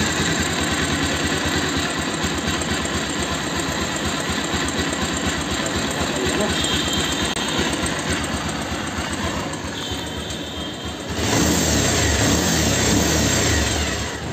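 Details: Bajaj Pulsar 220F after carburettor setting to fix missing and low-rpm jerking: steady, even idle without hunting or stumbles, then a brief throttle blip; sounds healthy, problem solved.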